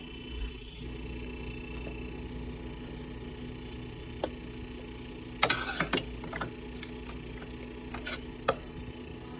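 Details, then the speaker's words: Whirlpool refrigerator: steady low hum with a buzzing tone from the compressor running louder than it should. "Yep, yes indeed, that noise is the compressor."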